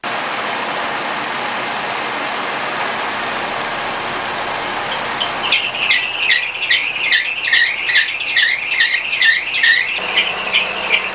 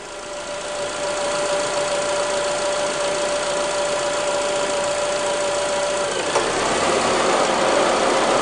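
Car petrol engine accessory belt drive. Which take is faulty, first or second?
first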